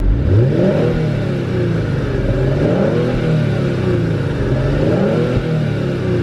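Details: 2019 Kia Stinger GT1 twin-turbo V6 at 1 year and 10,000 miles, heard from the rear: engine catches and revs climb and fall smoothly several times, even steady note with no knocks or rattles; healthy running.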